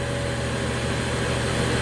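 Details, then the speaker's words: 2012 BMW 335i N55 just started after fuel tank vent valve replacement for code 315A: steady, even idle, still slightly fast, with no stumbles; owner had intermittent rough idle and suspects the battery. "Alright, and it's kind of settled down to an idle. It's still lighting a little high because it just started, but at least the idle's not rough."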